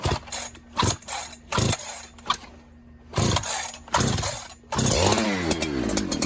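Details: 372 clone chainsaw that leaned out whenever fuel was added, suspected air leak, mixture screw set about 3 1/4 turns out, cold start on choke: choked bursts that die and refire, then a burbly, uneven run; running fat from the cold start, no lean surge yet.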